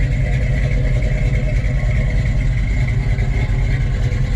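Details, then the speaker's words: Muscle car V8 stored in a basement for over 20 years, not road-driven since the late '90s, just driven out of the basement: deep, lumpy burble, steady with no knock or miss; running good. "yeah it's running good"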